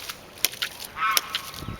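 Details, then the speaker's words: Hydraulic ram pump test run fed from an IBC tank at about 4 feet, outlet valves closed and building pressure: sharp regular clacks every 0.7 seconds with water rushing between; the shock wave vibrates back up the pipe; it started automatically and cycles normally. "You can tell the vibration is the shock wave that shoots back up that pipe and actually inside the tank."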